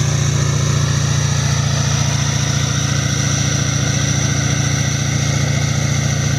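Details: Duramax LML diesel after a long block install, held at a steady 2,000 rpm outdoors during a 5-minute break-in cycle: even drone with no knocks or ticks, and no big puddles. Normal high idle.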